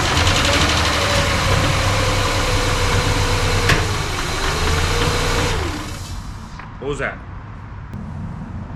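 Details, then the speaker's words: Rebuilt Ford Ranger 4.0 V6 with new injectors, first start: the rough-running engine fires with one sharp pop partway through, then settles lower. The fuel rail was found loose after the pop, and the owner suspects a backfire from too much fuel. "the fact that this rail was loose after the pop i'm almost wondering if the pop was a backfire from too much fuel pulled"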